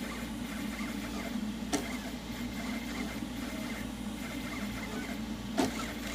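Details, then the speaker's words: Machine during rapid back-and-forth moves such as curves: quiet stepper hum broken by two sharp isolated clicks a few seconds apart, so something in the axis drive is catching; belt tensioners are suspected, while the linear rails slide smoothly. "hear the clicking so it's not it's definitely having problem somewhere belt tensioners it seems to be hitting anything"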